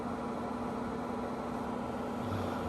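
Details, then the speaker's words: 42-year-old Suburban NT24M RV furnace after rebuild (stiff fan freed, missing spring fixed gas supply): lights on first try, steady even burner whoosh over smooth blower hum, no sputtering or cycling, burning off years of dust. "There we go. Did it light? Yeah, it sure did on the first try."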